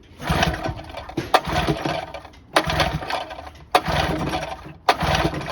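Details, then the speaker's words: 1984 Johnson 25 HP outboard, hot, no-start: irregular repeated cranking bursts with no catch, won't even start on starting spray, so owner doubts fuel; suspects coils or hot compression loss, possibly head gasket, unconfirmed; carb and coils to be checked. "It won't even start on spray. What does that mean? It should start on spray."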